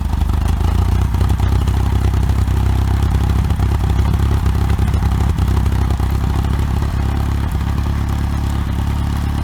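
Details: OMC 2.5 L 140 hp sterndrive in a 1981 Sea Sprite, first run after sitting since winterizing, on water muffs with temperature coming up: a low, steady, even idle with no knocks, misses or rattles. Quiet, smooth, normal idle.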